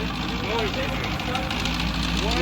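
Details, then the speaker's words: LS engine with aluminum block, head gasket replaced with JB Weld, cold just after startup: rough idle with faint light metallic tapping each turn. Pistons touching cylinder head; they hope clearance improves as the block warms and expands. "this definitely sounded better touching the cyinder head a little bit yeah maybe as the aluminum block expands it'll get better"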